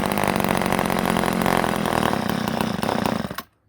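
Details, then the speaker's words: Ohlsson & Rice chainsaw sat 20+ years, primed with gas into the carburetor: fires and runs rough about three seconds, fades and dies abruptly; owner suspects a plugged fuel line starving it of fuel. "might have ticked that carburetor far to get her going but like I said that line might be plugged up you know we don't know we could prime it a couple more times though see if it catches on"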